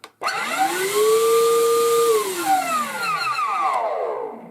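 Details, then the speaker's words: Vax Blade 24V vacuum cleaner motor whines up to speed, then squeals with falling screechy tones, worse while slowing after switch-off; suspected dry motor bearings, to be stripped down and lubricated. "Now it sounds like a really dry bearing, so we're going to get it open and have a look what's going on inside, and hopefully with a bit of lubrication we can cure it."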